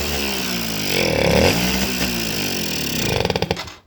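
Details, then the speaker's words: Suzuki RC 100 two-stroke revs raggedly and stumbles, needs choke to start, won't rev even at full throttle, dies as soon as throttle closes. Carburettor pilot jet blocked, carb passages worn loose. "posisi mesin dinyalakan, motor ini tidak mau digas, dan kemudian lepas gas motor ini langsung mati, sedangkan tensionernya sudah mentok full tetapi masih saja tidak mau."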